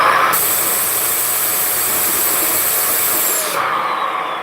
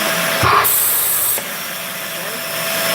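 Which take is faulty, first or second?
first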